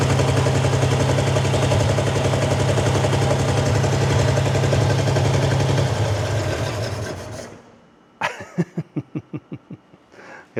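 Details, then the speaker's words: 1952 Ford Crestline start attempt after years abandoned in a field, fed gas in the bowl, small fuel leak: low lumpy chugging, then dies and cranks in bursts; misfire, down at least two cylinders, owner suspects one side/plugs. "we're definitely down a cylinder that's for sure sure I think two cylinders at least got to be it almost sounds like an ler I'm I'm only running on one side could be plugs"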